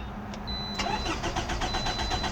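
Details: 2006 Toyota RAV4 4-cylinder with a good battery: the starter churns in even, rapid pulses but the engine never fires. Crank, no start; no fuel reached the collection can, so suspected no fuel in the tank, a failed fuel pump or an inactive fuel relay.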